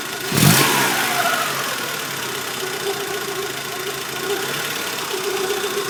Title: Mk2f polo strange noise